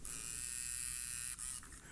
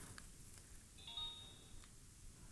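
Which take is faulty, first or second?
second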